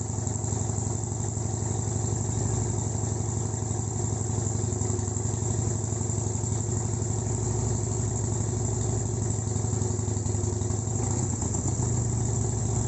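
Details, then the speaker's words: Harley-Davidson Sportster project with the odometer at 57,800, started instantly after restoration work: a quick catch, then a steady, even V-twin beat at idle with no rattles or knocks. Normal idle. "Hey, it sounds good. It did. No rattles, nothing."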